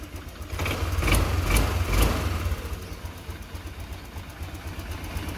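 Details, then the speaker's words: Honda Click 125 FI scooter that sputtered and stalled, after spark plug replacement and slight air screw adjustment: a few crisp throttle blips rising and falling cleanly, then a settled even idle with no stumbling or misfire; runs fine. "Ayos ang tunog."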